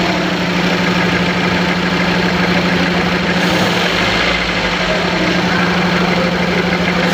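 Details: Number 1 cylinder not working: uneven idle with a loose, irregular chuff and a steady drone, plus engine knocking and jerking as the throttle is blipped. The throttle valve reportedly isn't opening. Cylinder misfire.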